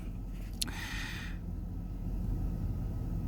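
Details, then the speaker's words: 2004 Chevy Silverado 5.3L V8 4WD that died and would crank but not start; fuel pump earlier drew only about 2 amps. Now refueled, it runs with a quiet, steady low rumble, no stumbling or surging. "anyways as you can hear she's running with fuel in it"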